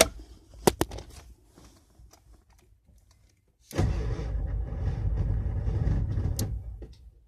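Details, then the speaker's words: 1994 Ford F350 7.3L Powerstroke diesel with two new batteries, new CPS, IDM and starter solenoid, GPR tested good, alternator good: starter drags engine slowly, about four heavy beats a second, never catches; slow crank, no start. "it almost sounds like the battery is dying but it's two brand new batteries"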